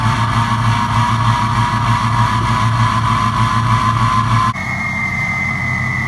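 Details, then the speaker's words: Ford 6.0 Powerstroke diesel with 4-to-6-inch exhaust, before injector replacement: idle with an uneven lope and regular dropped beat; number 1 injector on the passenger side missing, throwing a cylinder contribution/balance code. "You actually heard the injector missing. You can kind of hear it kind of lope there at idle. That's actually that number one injector missing."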